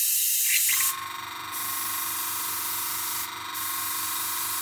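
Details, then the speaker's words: Gaahleri Mobius TG 0.5 airbrush: steady high hiss of air with compressor pulsing underneath but no paint flow, only air passing; owner suspects paint too thick and plans to thin it or raise pressure. "for some reason we're not getting any flow you can hear the compressor is working its head off you can see that on here we're not getting any flow"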